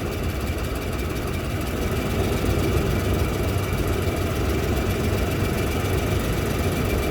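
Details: Toyota Land Cruiser 200 2UZ-FE V8 idling with dull, uneven knock around three a second, loudest on left side; valves, clutch checked and exhaust manifold welded with new gasket, cause still not found.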